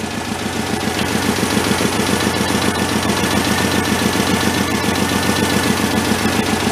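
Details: Homemade tractor powered by a 1967 VW air-cooled four with oil leaking from the bottom, running at a fast choke idle while warming: a steady, even putter with no knocks or misses, running healthy.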